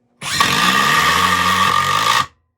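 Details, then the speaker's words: Metabo HPT 36V triple hammer impact driver on P (heavy work) setting driving a screw: steady two-second burst of rapid, even hammering with high motor whine; working normally. "You can certainly hear the difference in impacts. But it doesn't feel like you're getting more vibration."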